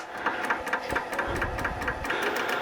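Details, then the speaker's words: Glued-up segmented bowl on a faceplate on the lathe, outside being rough-turned: sharp light ticks about four a second, once per turn, over a steady spin. A raised glue drip is hitting the tool rest. "that the noise you hear is the glue over the drip here that's hitting the tool rest that'll disappear very quickly"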